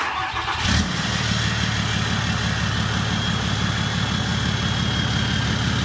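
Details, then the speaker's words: Truck conversion build with a 5.9 turbo diesel, first start once finished: brief crank, fires at once and settles into a steady, even idle with a deep exhaust note and faint turbo whistle; flow sounds better, pleasant tone, healthy. "it sounds pretty dang good you can hear the turbo it sounds like the flow is going a lot better this sounds really good it's not too crazy loud it's just like a perfect nice tone"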